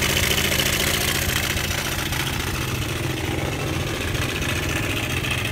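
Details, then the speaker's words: Honda Air Blade scooter at steady idle: busy, fast, even metallic clatter over the engine note, loud on one side; cam chain slapping because the cam chain tensioner has failed. "bây giờ là mình sẽ hướng dẫn anh em cách khắc phục cái xe bị như thế này đó Tí nó chỉ có bị ở cái phần cam cò thôi phần cam là chủ yếu ý"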